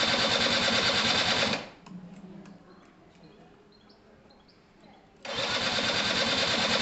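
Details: Gilera DNA 125 scooter after fuel system and carb cleaning, retried after the spark plug, bent at the top, may not have been seated in its boot: starter whirs about 1.5 seconds, stops, spins again, never fires; cranks, no start; spark not yet checked.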